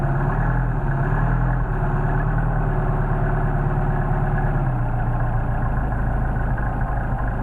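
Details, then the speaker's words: Mercedes 190SL with rebuilt worn Solex 44PHH carburetors (no machining), fully cold start after priming and a little choke: steady even low idle, no misses or hunting; idle expected to rise as carbs heat; normal cold idle. "Now we got a real nice idle as it warms up, but that idle is going to increase as the carburetors heat up."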